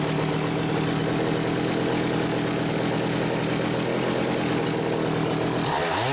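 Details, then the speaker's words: Homelite 750 chainsaw, carb deliberately set rich for break-in, bench-run about twenty minutes: steady high buzzing run, no surging or dying, winding down at end; healthy normal run. "I've still got it set rich you could hear it load up a little bit when I went to full throttle I want it that way for break-in"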